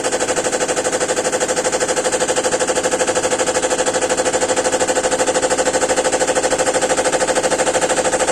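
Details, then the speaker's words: GEDTECH GLL71200WH 7 kg 1400 RPM front-loading washer, under 3 months old, during spin: fast, even, hard banging about three times a second as the machine shakes abnormally; owner suspects a manufacturing defect, and the washer also shows error E2. "C'est pas normal que ça se secoue comme ça. C'est. Ça fait du bruit encore."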